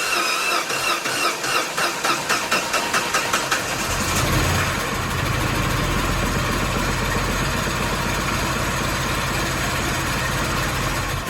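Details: Mini after head gasket and timing chain replacement, first start in neutral with clutch in on a chilly day: starter cranks in quick even strokes about four seconds, engine catches and settles to a steady clean idle; started slightly rough but runs great.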